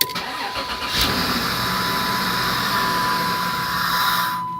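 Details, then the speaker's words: 1996 Dodge Grand Caravan SE 3.3 V6 FWD, 243,000 miles, junkyard computer fitted, intake air duct off (sucking hiss): catches after brief crank, runs steady, then dies immediately without idling despite fuel pump and spark present; starts then stalls, cause unconfirmed. "It fires right up and runs, but it dies. I mean, it immediately dies. It don't even idle or nothing. I mean, it cranks up and runs, dies."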